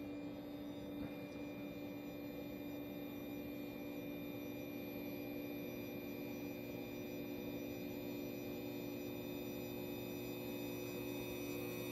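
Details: Hybrid solar inverter (XW Pro) charging four batteries, quiet until the grid input is switched on: then a steady loud hum with a high whine, constant pitch and level; loud inverter hum, cause unknown.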